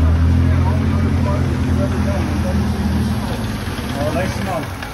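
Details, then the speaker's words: 1978 Ford Pinto cruising wagon after sitting for years: steady fast idle that won't settle, running with throttle plates fully closed; massive vacuum leak; fast idle. "so the way it was running it would run with the throttle plates completely closed completely so that means there's a massive vacuum leak somewhere"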